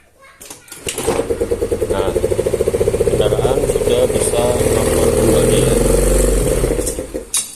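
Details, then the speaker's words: Yamaha Mio Smile scooter that was hard to start, and bogged when revved, even after carburetor service and a new spark plug; after valve clearance adjustment the engine catches and settles into a steady buzzing idle with even firing and no misses. "Oke ini setelah dilakukan proses penyetalan katup ya di sini tinggal kita lakukan pencobaan tadi dinyalakan susah ya di sini setelah dilakukan setal katup kita coba"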